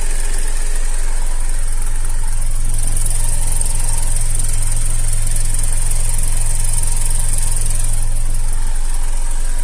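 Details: Opel Antara restyling, 2.4 naturally aspirated petrol, all-wheel drive, at idle: steady idle with a fast, regular light rattle over the low hum, identified as timing chain knock.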